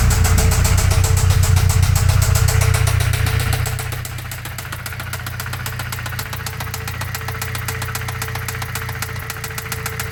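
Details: Toyota 22RE petrol four-cylinder idles with a sharp, even knock about four times a second, which started after the valve cover was reinstalled.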